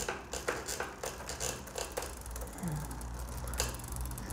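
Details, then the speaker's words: Bicycle shifted into 7th gear with rear derailleur cable tension out of adjustment: the chain hunts between the 6th and 7th sprockets, giving uneven ticking and clacking about once a second while pedalling. "Bisikleti 7. vitese attınız. Ama zincir arada 6'ya gitmek istiyor, 7'ye gitmek istiyor ama yerini bulamıyor. Sürekli bakın bir yere geçmeye çalışıyor."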